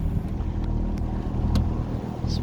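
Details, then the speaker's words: Honda 20 outboard on a custom Donzi speedboat, on the water, not yet warmed up: steady low drone holding even under water and wind noise, no misses or knocks; running smoothly and much quieter than the old Yamaha. "Alright, ladies and gents, so far the Honda's working. Can you take the camera, honey? And it's much quieter than the old Yamaha."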